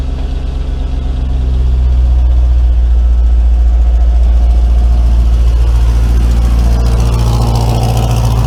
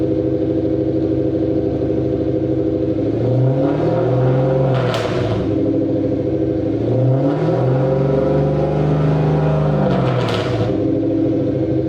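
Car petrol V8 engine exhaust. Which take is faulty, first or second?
second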